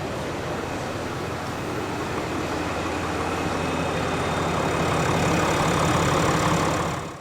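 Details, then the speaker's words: 2022 RAM HD, bone stock, with a remanufactured Cummins diesel replacing a catastrophically failed engine at about 53,000 miles, exhaust note at idle: steady, even low rumble with no knocks or misses; healthy engine. "Let's see what the exhaust sounds like this truck is bone stock it's healthy it is healthy"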